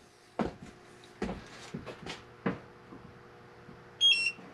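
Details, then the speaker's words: Propane detector in a Class C RV camper calibrated after the oven's propane connection was re-tightened: a few handling knocks, then one short high chirp meaning calibration complete in clean air. No propane was detected; the earlier leak was fixed. "That's the sound we want to hear. So, I'm content that we don't have a leak."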